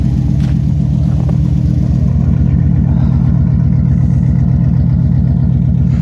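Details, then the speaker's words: OBS GMC Sierra V8 idle after replacing one side's exhaust manifold gasket: fast, even puffing tick on exhaust pulses; sounds much better but a small leak remains, other side still leaking. "so it did help a little bit it does sound better it still does have a little bit of leak which you can hear does sound much much better sounds much better than it did but still has a little bit"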